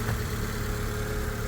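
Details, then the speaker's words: 2015 (65 plate) Fiat 500 petrol, Cat S auction car listed as "engine noisy": smooth, steady low idle with no knocks, ticks or roughness; owner says it doesn't sound noisy, idle normal. "I would not say that was engine noisy but it's running that's the main thing"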